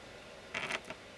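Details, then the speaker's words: Graham Farish Class 43 HST motor with voltage applied after turning the flywheel: tiny whirr for a split second then silence; armature stops on a dead spot, motor suspected overstrained. "you can see that it does start to move and then it stops. So, I'm glad we actually caught that period where it didn't move. Because the momentum of it flying will take it past the dead spot most of the time."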